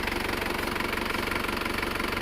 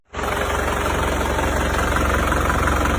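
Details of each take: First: Isuzu Panther Grand Touring Euro 2 diesel after engine rebuild for oil burning and blow-by, injection timing retarded: soft, even clatter with steady pulse and no harsh knock; normal diesel idle. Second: Isuzu Panther Grand Touring Euro 2 diesel with heavy oil consumption, idling: heavy rough chuffing knock and deep rumble; smoke even when cold, thicker hot, spurting from dipstick tube, so compression leaking into crankcase: heavy blow-by from worn liners.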